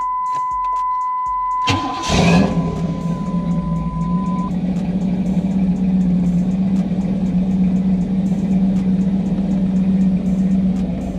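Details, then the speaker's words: 1991 Camaro Z28 heater blower motor after replacement: engine starts, then a steady smooth fan hum with no squeal, rattle or ticking; the previous loud motor noise is gone and the blower runs quietly, though airflow is modest. "works don't hear any noise"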